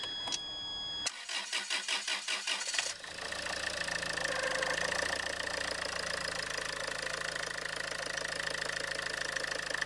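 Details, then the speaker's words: Land Rover Freelander 2 2.2 diesel after replacing the throttle body (PN LR012598), which had been squealing: quick crank catches straight away and settles into a steady, even diesel idle with no squeal; normal start and idle. "happens good okay turn it off squeal free okay set so it's squeal free that's all good"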